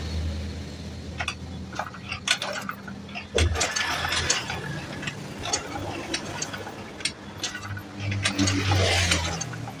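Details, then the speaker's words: Carbureted Honda Beat scooter with lost ignition, cranked on the kick-start while checking spark at the coil lead: ratcheting cranks turn the engine freely but it never fires. No spark. "Oke, bisa diperhatikan barusan ya saat saya engkol dia Tidak, memang tidak ada ya untuk pengapiannya."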